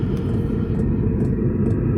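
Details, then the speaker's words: Newly installed Vevor diesel heater in a 19.61-3 Jayco Journey caravan, running: low steady rumble with a crisp light tick about twice a second from the fuel pump, exhaust to muffler; running normally. "We have a fuel line going to a fuel pump. You can hear it ticking away, and then exhaust to this muffler here."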